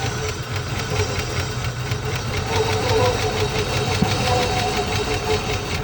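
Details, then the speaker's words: 1980 Rover SD1 V8, revived after about 18 years, alternator not charging: an uneven idle with irregular ticking pulses about three a second. Rough idle; it runs better with carb cleaner, so the owner suspects it isn't getting enough fuel. "It runs. May not run great, but it runs."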